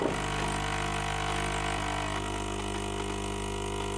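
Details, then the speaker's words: Saeco coffee machine after clearing a clogged spout, brew unit not yet cleaned: steady, even pump buzz without sputter or strain while coffee flows; spout now passes coffee properly and the pump brews normally. "no ale wylewka jak widać już przepuszcza odpowiednio wodę a raczej kawę"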